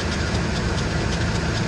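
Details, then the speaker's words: Ford Expedition 5.4 L Triton V8, idling near 1,000 rpm, hood closed: light, fairly quick clicking over the engine note; owner suspects the serpentine belt, not confirmed. "I want you to listen hear that odd noise kind of clicking there"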